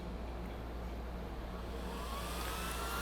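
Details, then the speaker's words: Exway Atlas Pro electric skateboard supercharger, after holding the power button about three seconds to start charging: low steady hum then faint whine climbing as the cooling fan spins up; normal, keep the fan intake clear. "you see that fan blowing in there now it's charging and do yourself a favor don't keep anything near the front of this fan because it'll suck like a piece of paper or anything right here and then when it sucks it in there it's going to stop it from cooling"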